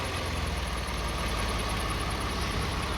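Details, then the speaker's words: Car at warm idle with light throttle, just after a transmission fluid drain and refill: a steady, fine buzz over the engine's even rumble. The transmission buzzing is still present; cause not yet found. "You hear that? Buzzing sound still there."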